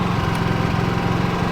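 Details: Generator switched to 240 volts, temporarily rigged to power a welder: steady small-engine drone with even low pulse, no hunting or surging; holds speed smoothly under welder load.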